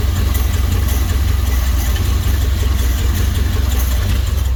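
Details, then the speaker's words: 1955 Dodge engine with a used transmission: slow, even low idle, just adjusted down with a screwdriver to near stalling. Transmission whirring is audible and a likely ATF leak is seen near the bell housing. "There we go. There's the 1950s idle spec."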